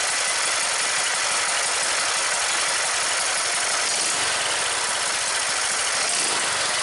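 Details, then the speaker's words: MTD riding mower single-cylinder engine that died while mowing, briefly run with valve cover off right after valve lash adjustment to 5 thousandths; fast, even beat with light valve-train chatter from the open top end, steady and healthy. "I'm going to give it just a quick crank without the valve cover on."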